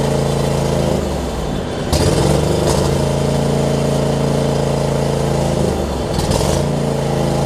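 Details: John Deere LX279 riding mower, liquid-cooled single, first start after cranking with an empty carb bowl: rough at first, then settles into a steady beat with a couple of brief speed dips and recoveries, no misfire; improving, possibly normal for this engine.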